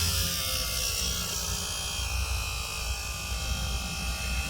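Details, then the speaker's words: Nissan X-Trail A/C blower DC motor after repair, with bushings and brushes replaced for internal wear that caused noise: on high speed it runs with a smooth, steady buzz and hum, silent and without radial play. "Ahí vemos ya con el mecanismo de aire acondicionado podemos ver su funcionamiento encendido sin ningún sonido. Velocidad alta. Ahí vemos sin ningún sonido."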